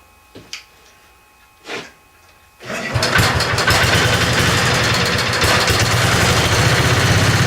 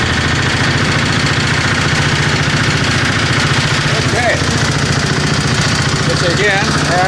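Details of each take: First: Tinkering-project 725 small engine with an updraft carburetor, first start after its bowl was filled through a tube from a bottle. Clunks, then it catches into a fairly even idle. It runs only with partial choke; the owner assumes it isn't getting full fuel flow. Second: 725 small engine driving under its own power with a little throttle after sitting a long time. A busy, slightly uneven single-cylinder chatter holds speed while moving. It runs normally; the owner thinks it is pretty much okay.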